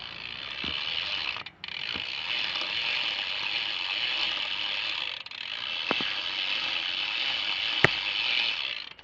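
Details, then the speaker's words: New BMX bike with a Demolition rolling hub: rapid bright ratcheting clicks run steadily with a few sharper snaps mixed in; a weird clicking noise whose source is still unknown. "all I got to do is figure out what's making the really really weird clicking noise when you can hear it"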